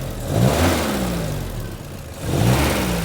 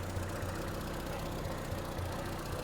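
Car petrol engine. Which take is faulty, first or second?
first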